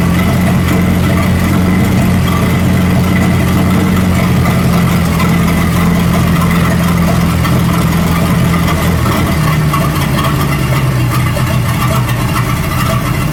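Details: 1937 Buick Roadmaster with an apparently rebuilt Stromberg carburetor, after the idle screw and idle mixture screw were set: a low, steady idle with an even, unhurried beat and no hunting or stumbling. It sounds much better but still needs fine tuning. Normal idle.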